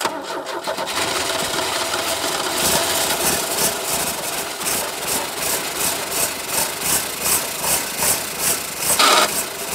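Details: 1989 Chevy S10, 2.5 L four-cylinder Iron Duke, 5-speed manual, abandoned in a field about 22 years, started via trigger switch with little gas: cranks, catches, settles into steady even idle with light top-end rattle; runs good.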